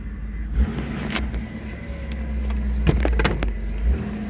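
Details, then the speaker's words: 1990 Chrysler Lebaron GT V6 convertible, front-wheel drive, said to have a battery drain: after a new battery it cranks briefly and starts right up, settling into a steady low idle hum with no knocks or misses, only handling clicks; normal idle. "I did just put a battery in it good battery and things lit up let's see if it starts all it started right"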